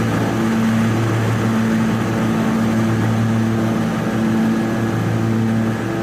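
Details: Toro TimeCutter 5060 zero-turn mower, engine running with blades engaged: steady drone with a tone pulsing about once a second as the deck shakes; bad rattle under the deck, belts seen jumping, owner suspects belts not seated right.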